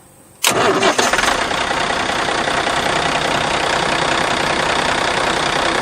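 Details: Ford F800 dump truck that clicked without cranking, after electrical wiring repair and fuel solenoid wired to starter solenoid: brief crank, fires at once and settles into a steady, even idle with no misses or knocks.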